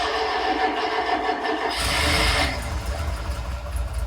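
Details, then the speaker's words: Tiger Cat E1 kit car, first start in ten years after flushing old fuel: catches in an uneven faltering rhythm, surges briefly, then sags and stumbles toward dying; fuel starvation, carb main jets and idle mixture screws then cleaned. "he's running out of fuel so spent the next hour taking out the main Jets demotion to the oil mixture screws and clear them with brake cleaner"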